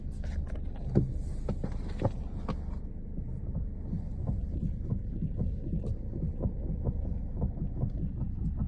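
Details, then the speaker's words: Lada Granta FL: dull, uneven thuds when turning the steering wheel at a standstill, heard only inside the cabin and reportedly new. Cause unknown, somewhere in the steering or front suspension. "Рулем крутишь. Не знаю, что такое. Ты на месте стоишь. Раньше такого вроде не было. Именно тут в салоне слышно только."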